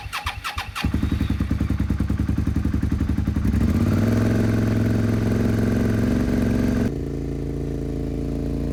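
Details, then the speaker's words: 2002 Suzuki SV650 motorcycle just revived after sitting about two years: cranks, catches and settles into a fast, steady idle well above normal; owner unsure whether there is a choke. High idle. "Sounds like it's idling really high. I'm not sure if there's a choke on here anywhere."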